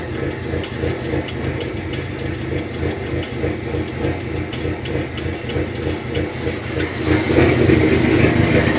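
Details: 2005 SRT4 turbo petrol engine at idle, uneven, with a low chug pulsing about three times a second with a slight wobble; the car was intermittently stalling, running lean and hesitating. The fix was replacing the upstream oxygen sensor.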